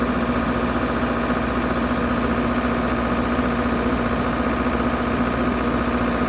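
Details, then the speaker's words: 60kW Kohler REOZJ diesel generator on a mobile MRI/X-ray trailer, running with fuel solenoid wired in and starter jumped after control board failed. Steady even idle, smooth low thrum, no knocks or misses; normal idle. "This unit's board went bad, and so I had to wire in the fuel solenoid and jump the starter for it to start running until we can get a replacement board."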